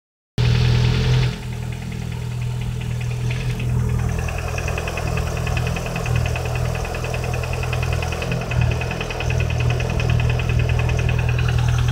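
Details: Lada 21126 engine with STK crankshaft-rod-piston group, after a full rebuild, at steady idle: hard quick knock about four per second from the bottom end; engine knock after rebuild.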